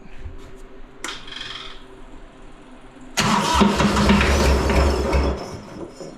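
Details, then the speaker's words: Three-cylinder Kubota diesel in a repowered 610 Melroe skid loader, after the ground wire to the backwards-wired fuel shutoff solenoid was cut. Short crank, catches straight away, and settles to a firm, even diesel idle with a steady beat. Normal start and idle. "well there you go stuff works a lot better when it's hooked up correctly"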